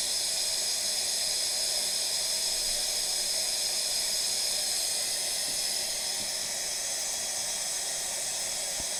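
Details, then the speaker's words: Brand-new A.O. Smith electric water heater, just installed and partly disassembled over a low outlet pressure complaint: steady high hiss of trapped air escaping the line as the tank fills, no motor; normal venting. "So it's not quite full yet, but you can hear the air coming out of it. We're getting pretty close to being full right now."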